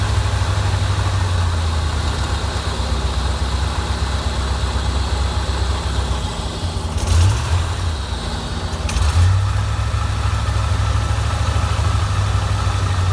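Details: 1987 Corvette V8, flooded cylinders blown out and plugs refitted, runs heavy and uneven with throttle blips, stumbling overfuelled; dies on throttle release and reflooods, fuel in oil; owner suspects seepage past rings.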